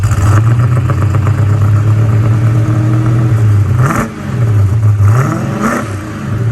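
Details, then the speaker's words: 1966 Pontiac GTO V8 after white-smoke diagnosis and engine repair: a strong, even burble that climbs cleanly on two quick blips and settles without misses; healthy running, with only slight blue smoke from contamination. "she sounds good well that's a result"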